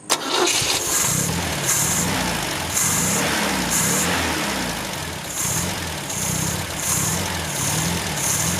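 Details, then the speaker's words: 1974 MGB after a carburetor rebuild, with jets and pump jet set near stock and idle screw at only half a turn. It fires, then idles slowly and lumpily with a surge about once a second, so the idle speed screw needs raising. "I gotta raise the screw a little bit. I only have it half a turn."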